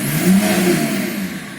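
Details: BMW E34 525tds M51D25 diesel, briefly warmed, revved from idle: a harsh rattle rises with the revs; an injector knock is suspected but not proven, and the owner fears the engine is finished.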